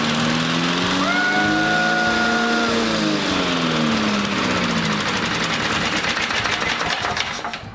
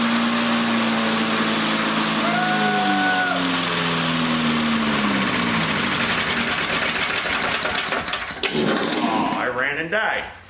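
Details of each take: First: A rare 1960 Briggs Sonoduct mower, with the flywheel under the deck, Seafoam and 5W30 in it, and plenty of compression: the small single cylinder catches and settles into a quick, steady, even putter. It runs healthily. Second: Rare 1960 Briggs & Stratton Sonoduct mower, flywheel under the deck, just reassembled, may need several pulls to pump fuel: catches and runs unevenly for several seconds, then fades and dies; starts then stalls, cause unconfirmed.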